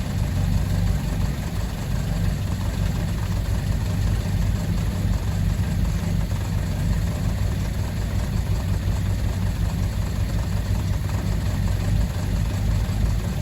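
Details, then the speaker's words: Fiat 147 carbureted engine running steadily at low idle on a newly installed electric fuel pump (replacing the mechanical one) with a constant hum, no misses or knocks; pump audibly noisy like the mechanical one; normal running. "Creo yo que tiene el mismo principio de funcionamiento que una bomba mecánica, que la que tenía anteriormente, ya que se puede escuchar que hace bastante ruido."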